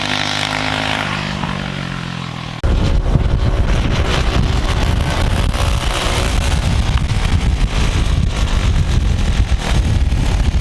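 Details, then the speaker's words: Turbo EFI Predator 212 single-cylinder go-kart (Stage 5), injector maxed, tuned slightly rich at high rpm, floored: buzzes hard and holds flat out with a rough, raspy exhaust, no stumbling or cutting. Normal full-throttle run to the rev limiter. "But if you floor it from the beginning, then it just keeps going and goes all the way to rev limiter."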